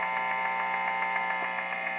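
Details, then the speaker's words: Home-studio guitar amp, cranked: sharp rhythmic clicking about seven times a second over a steady mains hum. It is interference from a nearby Wi-Fi unit and changes speed with pedal position. "i'm gonna crank up the amp now you hear this attack attack attack attack rhythmical clicking sound"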